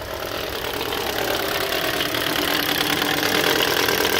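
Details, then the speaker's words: 2013 Toyota Corolla 1.8 16V flex with CNG, automatic, AC on, at idle: harsh, rough rattling grind from the accessory belt area, stops when revved. "horrível barulho horrível vou desligar até medo bom a reclamação do cliente é essa vou est fazendo a desmontagem aqui da correia de acessórios e ver se tem algum rolamento com defeito e tensionadores e tal"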